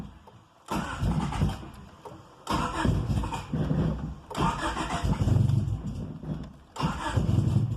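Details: 1995 EG Civic coupe, cold start that happens every day, cause unknown: four separate two-second cranking bursts with a fast chug, never firing or settling to idle; hard cold start, runs normally once warm.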